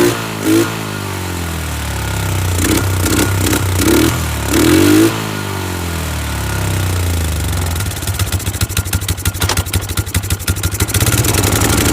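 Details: Polaris 500 HO ATV brought in as a no-start, with foul-smelling old fuel and mouse droppings: the single cylinder fires up, blips a few revs, then settles to a quick, even popping idle. It runs properly.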